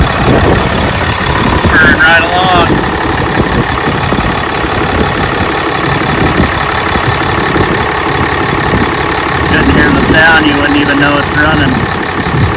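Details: 2014 Ram 2500 6.7 Cummins diesel, first start after valve adjustment done per the service manual: settles into an even, steady idle clatter with no stray knocks or misses; engine sounds healthy.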